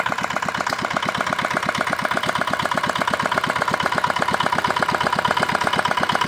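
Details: Old modified Chinese R180 single-cylinder diesel for wood splitting, repaired after repeated seizing despite earlier crankshaft replacement: brisk even chug, steady beat, no knocks, misses or rattles; healthy.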